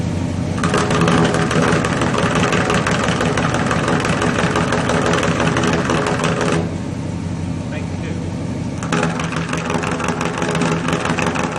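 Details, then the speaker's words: Chevrolet 350 V8 with a failed valley-side intake manifold gasket causing oil consumption, after the misfire was corrected: steady idle heard at the tailpipe, each bank's exhaust pulses even and rhythmic with no skips or stumbles; normal even idle. "both sides very consistent notes they sounded even the very rhythmic"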